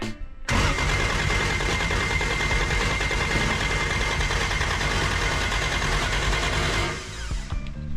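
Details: Toyota 2JZ-GTE Commodore project, first start attempt: several seconds of steady cranking that never catches or fires, then drops off; crank no start with no fuel pressure because the mechanical fuel pump was fitted backwards.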